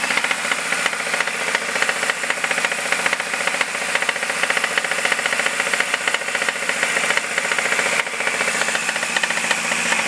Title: 2005 MINI Cooper S making clacking/clicking noise